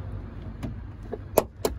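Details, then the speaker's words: Car door swung slowly gives two sharp clicks about a quarter second apart halfway through travel; door check strap jumping because its mounting bolt has worked loose. "but sometimes guys you'll be surprised that awful noise is just down to a bit of movement where this bolt has worked loose"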